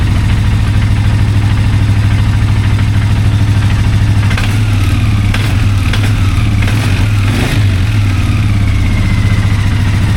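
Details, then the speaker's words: 2001 Polaris Sportsman 400 ATV during restoration, after valve-gap adjustment, pull-start and Bendix spring repair, started on choke with idle being adjusted. Single-cylinder thump at steady idle; brief throttle blips return cleanly: normal idle. "Sorry guys, battery died there. So, as you can hear, just adjust the idle a little bit."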